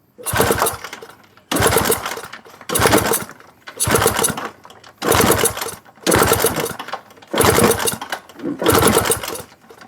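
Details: Honda Wave 125i scooter that cranks but won't start: repeated labored cranking with no firing. Coil spark is good and compression is 190, but fuel pump pressure is only 1 bar; the fuel pump needs replacing.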